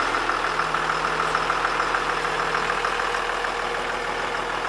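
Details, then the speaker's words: 2000 Blue Bird All American RE bus, remanufactured 5.9 Cummins 24-valve turbo diesel 215 HP, sat at least a year, hard to start at first but running well after a few starts; steady, even diesel idle, no knocks or misses; normal idle. "just started this thing the other day and had been sitting for at least a year I wasn't so cooperative to start but granted a couple times since then so it's running pretty good now"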